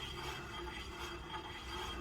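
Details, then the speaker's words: Porsche 924 2.0, right front wheel after wheel bearing play adjusted out, spun by hand: spins freely with a soft steady scraping rasp and faint catches; surface rust on the discs from not being driven, no issue. "it spins nice and freely as you can hear the discs are still grinded so because it hasn't driven for a while but um now that means no issues"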